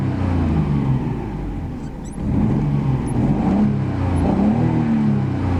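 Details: 1990 Nissan Skyline GT-R Nismo edition, 150,000 km, shown in Japan before export: deep, steady engine note climbing and settling cleanly under revs, no knocks or rattles; good condition for mileage. Normal engine revving.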